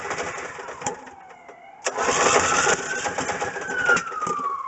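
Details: Coleman Vantage 7000 generator after engine rebuild: cranks briefly, catches at once and settles into a steady, even run with no knocks or misses; healthy.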